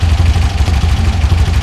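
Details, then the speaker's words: Air-cooled VW Beetle flat-four (1964 or 1967) just fitted with dual EMPI carbs, before syncing and timing: a quiet, steady, even low putter with no misses or knocks; later set to about 600–700 rpm. Normal idle. "Right off the bat, sounds good. That engine's quiet too."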